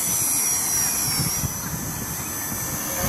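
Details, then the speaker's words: Blade Nano CPX helicopter with a brushless conversion kit, flying on a new Charsoon 1S 250mAh 30C LiPo in wind after the old batteries triggered low-voltage cutoff; a high, steady whine holds under a hard climb with no sag or cutout: normal full power. "oh and this has got plenty of power it's actually kicking the tail out"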